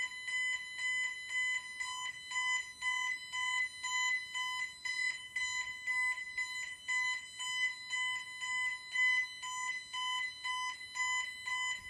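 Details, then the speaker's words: Bentley Symphony 2 burglar alarm demo board: high electronic two-tone beep pulsing about once a second, shifting back and forth between the two speakers, before engineer reset; entry tone. "Right, so you could hear that, the entry tone, as they're both got speakers in it, goes back and forth a bit, so just an engineer reset."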